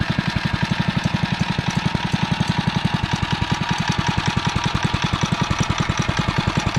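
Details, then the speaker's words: Single-cylinder engine on a finished REO Trikeabout after a new homemade flywheel key and NOS points and condenser, running low on gas and about to run out; quick even putter with regular firing, no pops or misses; normal running. "start running until it runs out of gas sounds like it's starting to come down a little bit getting ready to run out of gas pretty soon I think"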